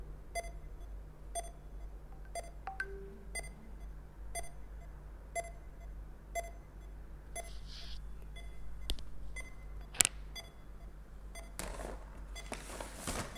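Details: DIY real-time temperature monitoring and alarm system, sensor still hot around 31–32 °C: short sharp beeps repeating about once a second over quiet hum, steady and unchanging; over-temperature alarm sounding.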